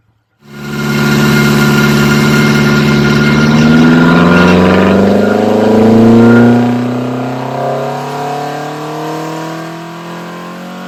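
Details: Ford Crossflow engine on a dyno with twin 40 DCOE carbs, Kent 224 cam, Vulcan head, testing 39 vs 55mm ram pipe lengths; strong even note climbs steadily through full-throttle pull, then eases off; clean firing, healthy.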